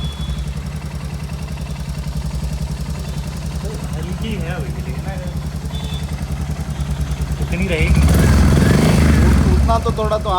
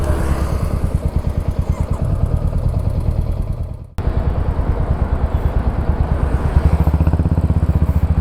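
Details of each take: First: Royal Enfield Hunter 350 single at idle just after tappet adjustment: steady even thump with only a faint light tick remaining; noise much reduced, as setting fully tight would stop it starting; normal idle. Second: Royal Enfield Hunter 350 single at idle, before adjustment: sharp regular ticking over every firing beat, identified as tappet noise; tappets then adjusted.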